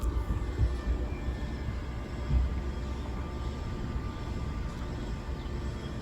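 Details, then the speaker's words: Outdoor ceiling fan after cleaning the blades, motor housing and dome: runs smoothly with a soft low hum, no wobble or knocking; noise was caused by dirt creating a weight imbalance. "after several minutes the sound is gone so the issue was dirt creating a weight imbalance"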